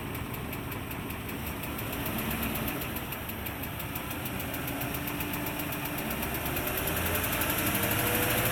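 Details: 2003 Range Rover HSE, 4.4L BMW M62TUB44 V8, possibly slightly low on oil: light even ticking about four per second over steady idle, top-end tick; sound later went away on its own.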